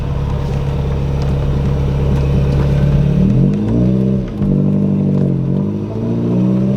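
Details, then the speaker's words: Corolla with a GE engine swap, after the clutch master cylinder adjustable arm was pushed back to its proper position: revs drop and recover cleanly through the shifts; the clutch engages normally. Earlier slipping was thought to come from heat on track. "it seems to be engaging and releasing at the proper point."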